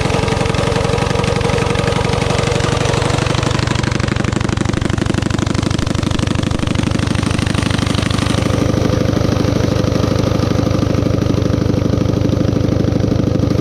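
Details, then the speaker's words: Coleman CT200U-A minibike, 196cc engine, elevated: idles fast and steady with rapid even popping, never settles low, clutch engages as if throttle stuck though it isn't; carb idle too high despite adjustment. "when we start it up I just cannot get the carburetor um down low enough to where the bike isn't just taking off uh like the throttle stuck but the throttle is not stuck"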